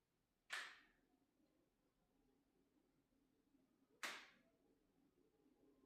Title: LG OLED 77 G5 POPPING NOISE, TV EINGESCHALTET(KNACKS GERÄUSCHE)